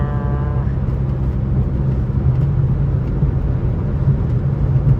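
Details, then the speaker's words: Dodge Magnum R/T at highway cruise, windows down, no check engine lights, after suspected engine failure: deep, steady low drone under road noise, even and without knocks; just exhaust drone, nothing wrong. "it is it is the exhaust all right so we're good"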